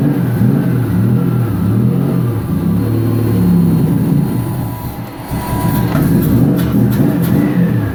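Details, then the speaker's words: 1999 Nissan Frontier SE, turbocharged VG33E petrol engine, newly built and run briefly without coolant after the AFR was leaned toward 14: revs up and down smoothly, pulls strongly and settles without misfires or knocks. Healthy. "But it sounds really good. The turbo is probably still spinning right now."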